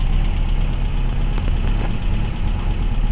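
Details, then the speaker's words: 1979 Renault 17 TS Phase 2, 1647 cc Cléon alu engine, 98 hp, before rocker adjustment: an uneven, lumpy petrol idle with rocker arms clattering under some throttle, running on three cylinders and knocking everywhere. "Hört ihr? Die Kipphebel klappern, und seht mal, wie er sich dreht ... Es ist eine Kartoffel! Er läuft auf drei Zylindern, es klopft überall."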